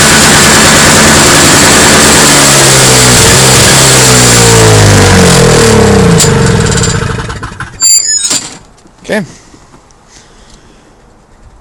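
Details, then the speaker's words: Toro CCR 2450 two-stroke snowblower after repair, fresh 40:1 premixed fuel with Sta-Bil, sat two hours with muffler dead cold: cold start without choke, strong even buzz with clean revs before switching off; running well. "all right so it's been about two hours now it's been sitting for a while Muffler is dead cold I start it up now oh I'm not even going to choke it"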